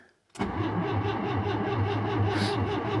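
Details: 1974 Citroën GS cold start at -10° after sitting three weeks, frozen and heavy to turn; short crank, catches at once and settles into a steady even idle with no misses or knocks; normal cold start.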